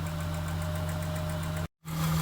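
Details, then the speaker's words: 2002 Acura 3.2 TL V6, 244,000 km, after a snapped timing belt repair, warmed up: light, quick regular ticking over steady idle, quieter once warm, no misfire; noisy valvetrain needing valve clearance adjustment. "Yeah, the ticking noise has gotten quieter, so that definitely tells us that this thing needs a valve adjustment."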